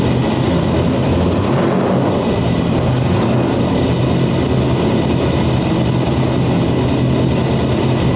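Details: C6 Corvette drift build, 427ci single-turbo LS V8, first start after swapping cam sensor wires, idle not yet set: loud, lumpy, uneven rumble, runs but rough; owner suspects further issues needing intake removal; rough idle before idle setup.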